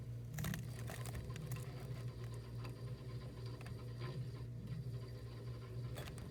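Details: Frigidaire chest deep freezer running: low compressor hum with an added irregular clicking, rattling noise besides the compressor.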